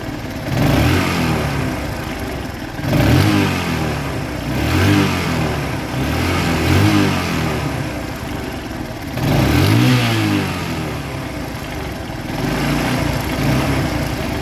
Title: RTR bike engine sound problem